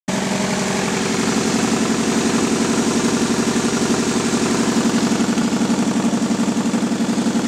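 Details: Nissan 240SX KA24DE at idle: steady, sharp puffing tick about four times a second, a knocking/popping exhaust manifold leak caused by a broken manifold bolt.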